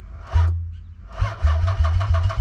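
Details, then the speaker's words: Nissan 300ZX (Z32) convertible first start attempt after restoration: repeated starter bursts at about four to five beats a second, no catch, crank no start; owner suspects a poorly seated crank angle sensor stopping the injectors firing. "okay so next we're actually going to check our crank angle sensor maybe it's not seated all the way and causing the injectors to not fire"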